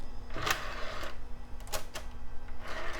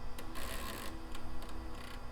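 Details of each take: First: HP Vectra VL Pentium II, CD drive reading a CD-R: low steady hum with short whirring bursts and light ticks as the disc spins up and seeks; the drive spins up and reads normally. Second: HP Vectra VL Pentium II 3.5-inch floppy drive at power-on after regreasing, heads possibly sticking: quick irregular ticking and buzzing bursts, heads jerking unevenly; abnormal floppy drive noise, running normally after a few cycles worked the grease in.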